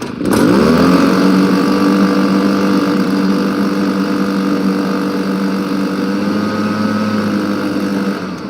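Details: Honda lawn mower started at about 40°F on choke with a little throttle: it catches quickly and settles into a steady, even drone with no misses or surging. Runs fine.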